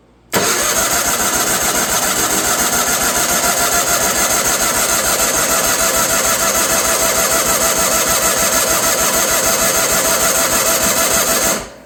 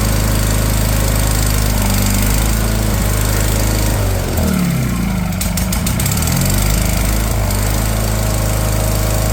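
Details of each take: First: Wheel Horse 416 Hydro with 16 hp engine, sat outside two years, fuel filter pulled and its end put in a water bottle to test the pump: eleven seconds of steady cranking at about three turns a second, never catches; pump is delivering fuel. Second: Wheel Horse 416 Hydro, 16 hp, sat two years, after new fuel filter, started on choke: low steady thump about four a second, revs dip and wobble as hand covers carb intake, then settle; water likely in cylinder.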